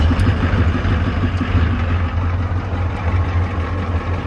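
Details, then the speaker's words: Ford 6.9/7.3 IDI diesel after its fuel-system problem was fixed: a deep, steady, calm idle rumble with an even beat and no hunting or surging. Normal idle. "When he's off, it should settle into that lower calmer IDI just kind of normal rumble."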